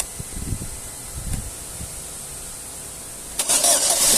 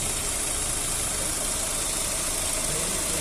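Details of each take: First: Chevrolet Astra 2009/2010 cold start, first start of the day when the owner hears an engine noise: cranks, catches into fast idle with a light rapid tick over hiss; cause not yet diagnosed, small coolant leak seen. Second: 2009 Astra being diagnosed for an engine noise, warm after the cooling fan cycled, oil pressure good: smooth even idle with a steady hum, no knocking or misses, running like clockwork.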